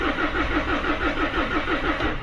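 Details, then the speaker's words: Mahindra Scorpio S9 BS-6 diesel, check engine light on, codes P065100 and P246300, differential pressure sensor suspected: starter cranks evenly and RPM reading rises, so crank sensor works, but it never catches; crank-no-start. "Cranking हो रहा है। RPM भी उठ रहा है। मतलब हमारा crank sensor भी बराबर काम कर रहा है।"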